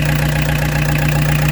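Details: Peugeot 205 TD diesel with newly fitted Motorpal 4M injection pump, after restart: steady, even idle clatter with no misses or hunting; normal healthy idle, internal pump pressure gauge needle moving only from vibration.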